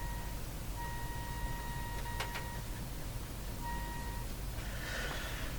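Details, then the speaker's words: General Electric KL60 tube radio with no output, test signal injected: faint thin tone with clicks at very low volume instead of expected loud output. "I expected a high volume output from the thing we just did I'm just getting a tiny little whisper so that's saying something"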